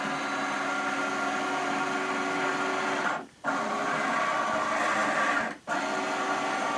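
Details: OmniBot 2000 drive motors, switched into low gear: steady buzzing whine with gear rattle, stopping briefly twice then resuming evenly; motor runs normally.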